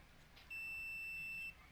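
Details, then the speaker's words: Ford 4000 tractor starter problem: multimeter continuity check from starter terminal to ground gives a single steady high beep about a second long, showing the terminal is properly grounded. "I cannot show you very well this thing, but you might hear it. I have measured to the ground."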